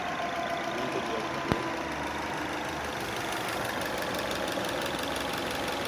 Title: Subaru Legacy BL5 Engine Knock